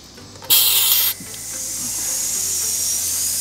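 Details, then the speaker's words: Intercooler system pressure test with the engine off: a burst of air, then a steady high hiss of air escaping under pressure; the boost leak is traced by sound to the front of the intercooler. "we can hear a leak happening and all we have to do is find it just follow the sound and it looks like ours is right here on the front of the intercooler"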